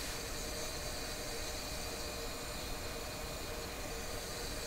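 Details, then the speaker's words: Sparton 1567 tube radio tuned to 680: a constant crackly, frying hiss sits under faint tones from the speaker at a steady level, alongside the audio distortion being investigated; owner suspects vibrating tube elements, unconfirmed. "so this is 680 you can hear that frying sound the game did you know it sounds like it sounds to me like the elements in a tube are vibrating"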